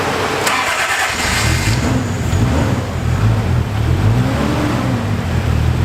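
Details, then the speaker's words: Toyota Supra, long sitting, jump-started off a truck because of a bad battery after the clutch and fuel issues (leaking fuel filter) were fixed; it cranks and catches, then settles into a low, steady idle with a light rev and runs for about 35 seconds. "I was actually able to start it right up like no problem it started as you can see right there and it was running for probably like about 35 seconds"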